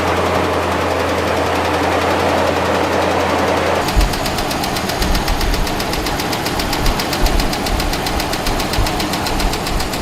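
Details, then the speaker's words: Hemi V8 at idle: sharp, fast, steady top-end ticking, quieter when throttle is applied and returning at idle; a failed roller lifter banging on the camshaft, needing immediate repair. "so if that is happening with your car that is a serious hemi tick and you got to get that taken care of immediately because what that is you have a bad lifter the rolling on it has given out and basically it's just banging away on that camshaft"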